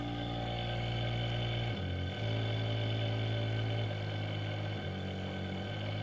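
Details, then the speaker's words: Induction motor on open-loop control without feedback, supply raised to 36 V at low frequency/speed: deep, loud hum with rough stepping buzz, motor unhappy and drawing large current; overvoltage at low frequency. "if we add this to $36 right now you can hear it's not happy at all as it's drawing laser current"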